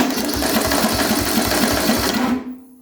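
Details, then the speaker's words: Murray riding mower ("Hooptie Murray") first crank after dashboard wiring and harness work: key turn, carburetor solenoid clicks, then a labouring crank with rough pulse about four per second and harsh growl before cutting out; starter sounds unhealthy, owner may rebuild the other, better-sounding starter. "A starter definitely does not sound the healthiest. The other starter did sound better, so I might try and rebuild the other starter and put it back into place on here."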